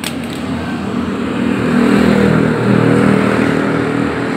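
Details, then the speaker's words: Honda GL Neotech motorcycle, initial condition before repair: engine runs but stutters and hesitates when throttle opens instead of revving cleanly; symptoms include high fuel use and black spark plug, cause suspected, not confirmed. "motor ini kondisinya hidup tapi pada saat kita pakai atau gas dinaikkan dia terganggu"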